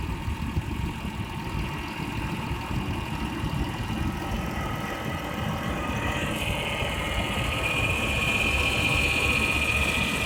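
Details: 2000 Ford Taurus 3.0L 24-valve petrol V6 idling with a fast rhythmic clatter and a thin high whine that comes and goes; source of weird noise unidentified.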